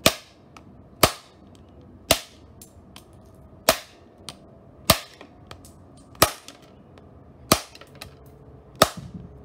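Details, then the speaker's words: Electronics overvoltaged on a variac: eight sharp loud cracks roughly every second over a quiet background as components burst. "oh that was a strong one for this next pop we've got a speaker 5 volts"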